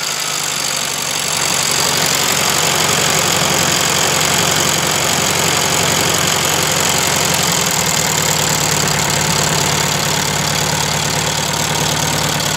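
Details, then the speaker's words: 1971 VW Super Beetle air-cooled engine after valve adjustment (all were too tight) and repeated carburettor cleaning; steady even idle with constant cooling-fan rush, no misses or knocks; owner thinks debris blocked the small jet by the 60 idle jet. "I cleaned the carburetor, and we took it apart like 5 times. And I think there was something actually inside that little tiny jet by the idle jet. And it seems to be working."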